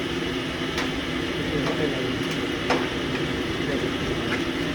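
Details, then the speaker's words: Mini green four-bolt screw-type coconut milk press on pre-delivery test: gritty, constant gear growl with occasional sharp ticks over motor hum; gearbox bearings noisy and due for replacement. "ยังลองอย่างงี้ถ้าเกียร์มีเสียงดังแบบนี้เราก็จะเปลี่ยนลูกปืนเกียร์ให้ขนาดเกียร์ใหม่ซื้อมาใหม่ๆยังดังก็ต้องมารื้อเปลี่ยนลูกปืนอีกรอบนึง"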